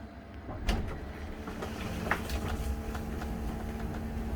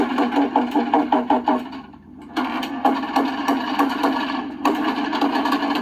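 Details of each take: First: 2004 Country Coach motorhome HWH slide after track roller adjustment, room going out: steady pump hum with light clunks, no grinding, much better than before; slide running smoothly, though further adjustments are still needed. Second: 2004 Country Coach motorhome with HWH slide-out system: continuous rough grinding, cracking and irregular chatter as the slide comes in while not level; the room is off its track and chewing the wood floor.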